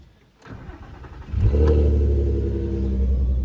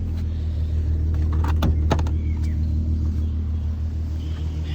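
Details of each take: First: VW Golf R32 Mk5 VR6 Edition 30, first cold start of the morning: short crank, catches and settles to high cold idle with faint steady vacuum-cleaner-like whir; whirr gone on restart, source unknown. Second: VW Golf R32 VR6 Edition 30, idle after cold-start whirr clears on restart: low steady hum, no whirring or hunting, smooth idle; owner notes it currently runs a bit rough on cold start.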